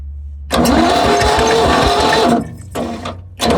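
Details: War Department roustabout crane on an International tractor, unrun for 35 years in the woods, cranked after easy start and ATF poured into the cylinders. Starter churns it with uneven compression pulses in bursts but it never fires; cranking, no start.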